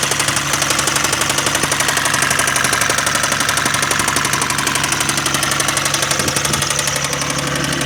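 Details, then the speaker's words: Isuzu 6VD1 engine at idle after heads were removed and gaskets replaced: sharp regular top-end ticking about three per second; owner unsure if hydraulic lifters or something worse. "вот чит что-то где-то сверху значит делали что снимали головки Лива кладки вот больше ничего не знаю что делали вот вопрос что это гидрокомпенсаторы или или что-то плохое"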